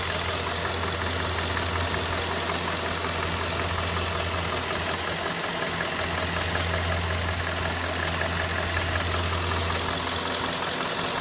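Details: Cadillac Northstar 4.6 at hot idle: rough, fairly quick clicking about three per second within engine noise, intermittent and only when hot; source not yet identified.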